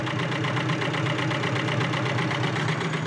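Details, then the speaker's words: 1991 Subaru Loyale, warm engine: light, quick ticking about four per second over an even idle; a failing hydraulic lifter that bleeds down and collapses, incredibly loud cold and quieter as it warms. "Alright, this is a 1991 Subaru Loyale, and this is what a bad lifter sounds like. Or a failing lifter, rather."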